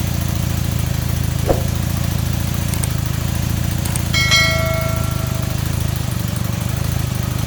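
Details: Super Dream motorcycle on its original carbs with non-adjustable plastic floats, just refitted and fuelled with no leaks, stone cold on choke: steady even low putter at idle, smooth with no misses or stumbles; carbs fuelling properly.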